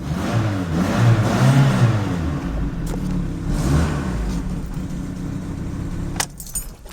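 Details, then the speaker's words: 2003 Fiat Doblo van after temporary solder repair of a corroded battery/starter cable end that caused slow cranking and no-start: engine fires, settles, revs up and down cleanly with no misfire; problem fixed. "there we go guys and girls problem sorted"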